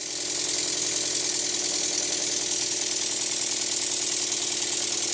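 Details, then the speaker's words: Stuart model steam engine after eccentric adjustment: brisk chuffs about three a second with slightly uneven spacing between beats. It runs evenly in one direction but not the other, so the eccentric valve timing needs a fine tweak. "it runs great in one direction but the beats are not quite even enough in the other direction"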